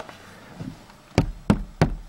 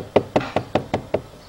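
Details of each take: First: Dacia Logan plastic B-pillar trim between the doors, sound-insulated with foam, knocked by hand: eight firm muffled thuds about three a second with no buzz or rattle; trim sits solid and well damped. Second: Dacia Logan plastic door pillar trim: six sharp, hollow plastic knocks about five a second, then quiet; the lower trim cap moves and rattles because the rubber seal doesn't hold it.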